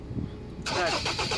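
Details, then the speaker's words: Ford Ranger 2.2 diesel crank no start: short burst of cranking with uneven pulses that never catch; no fuel reaching injectors, fuel system problem, PCM trouble code found on scan. "So yan so walang fuel. So kaya ayaw ong umandar. So so may problema to sa fuel system."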